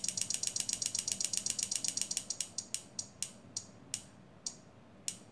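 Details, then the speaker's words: Adjustable flasher relay for a pneumatic prop, in a 3D-printed enclosure: crisp, regular relay clicks slowing from about seven a second to one every half second as the rate is turned down; normal. "you plug this in and you can see the light is flashing and you can hear the clicking of the relay and it's adjustable"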